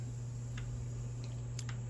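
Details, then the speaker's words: Ninja Foodi smart lid (possibly the 501 model) disassembled to troubleshoot a slide problem. A few sharp, light clicks over a low hum as the slide is worked; the lid safety button is switching cleanly. "so what our problem is is this button that's it so you hear the click you can even see it how it clicks when"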